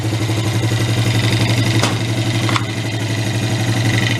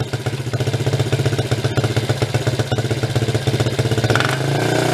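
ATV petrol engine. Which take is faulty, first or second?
second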